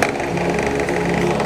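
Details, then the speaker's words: Asahi electric fan knocking only on steady setting: fast rattly ticking over the hum; cause a rear screw, possibly too long and hitting the bushing end; backing it off slightly stopped the knock, to be replaced with a shorter screw. "suban po natin na palitan yung turnilyo Baka masyadong mahaba at tumatama d sa dulo ng Shing"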